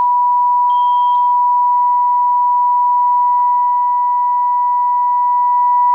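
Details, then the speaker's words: Mectron valve amplifier on bench test with about 1 kHz test tone overdriven: steady tone with harsh buzzy edge, about ten percent distortion from 2nd through 5th harmonics; clipping distortion. "now we're about ten percent distortion right here because we have a second third fourth and a fifth now and this is audibly really distorted"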